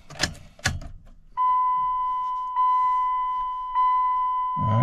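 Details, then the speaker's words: 2000 Dodge Ram 1500 after installing a replacement Flashmasters engine computer: key on, three even mid-pitched chimes about a second apart in a quiet cab, the normal key-on check before cranking. "right, got the key cut on. It's going through the checks. Okay, everything looks good there."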